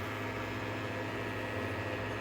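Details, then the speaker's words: 1949 Plymouth Super Deluxe tube car radio after overhaul with a new alternator: steady low vibrator buzz with a hum underneath, filaments lit, but no B+ output. The owner suspects something after the rectifier, unconfirmed. "but I'm getting no B+. None whatsoever, so I'm not sure what in the chain is causing the breakdown, so I'm going to need to look at the schematic."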